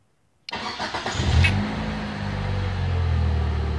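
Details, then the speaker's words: Car won't crank on the key; powered from a Power Probe instead: silence, then about a second of quick cranking before it catches and settles into an even idle; starter fine, ignition switch circuit at fault. "I'm turning the key and nothing okay now since the key is not working let's send power from the Power Probe"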